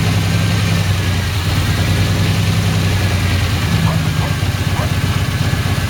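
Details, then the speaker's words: 1989 Pontiac Firebird barn find, 272,000 miles, sat for years. Started on starting fluid, then on gas fed through a fuel line. It runs loud, rough and lumpy and won't settle. Fuel starvation; fuel pump or relay suspected. "that's running pretty rough so the main reason i got for all this work here i just want to make sure it's fuel bumper to relay or something like that that's causing it not to start obviously i have a fuel problem"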